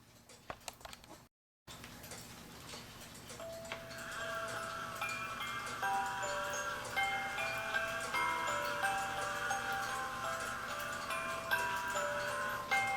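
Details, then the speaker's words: E. Schmeckenbecher Nuremberg church clock after repair with 3D-printed replacement figure parts: a clear music box melody plays over steady ticking as the figure rotates; it runs smoothly. "now let me finish playing the music and you see him go around"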